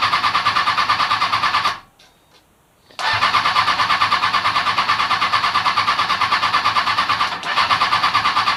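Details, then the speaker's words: Kawasaki Ninja ZX-636 after rebuild, new battery, fresh fuel: starter cranks steadily about three times a second, pauses, cranks again without firing; no fuel pump priming heard, traced to failed fuel pump ground. "I am a little concerned I don't hear the fuel pump priming"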